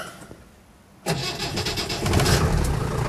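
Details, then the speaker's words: 1958 Land Rover Series 2 88-inch diesel soft top, injectors thought to have been replaced earlier this year, cold start: quiet, then a short crank and the diesel catches at once, settling into a steady, even clatter, a bit smoky from cold. A healthy start. "starts nice it starts well whether it's hot or cold this one actually very good it's just had new injectors on it i think earlier this year which is always always a help"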